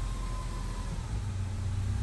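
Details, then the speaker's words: Subaru Outback whose engine had failed catastrophically and sat disassembled for years, first run after reassembly with load applied; strong, even low rumble, no leaks and no skips, running clean. "okay we're getting somewhere it's not leaking leaking it's not skipping let put a load on it oh"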